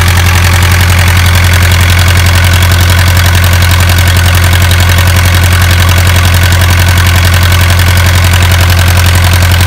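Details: Isuzu 4BA1 85 hp diesel driving 5-inch single-impeller pump, pushing irrigation water about 800 m uphill for durian orchard: deep steady clatter at even beat, no misses or surging, holding speed under load; healthy.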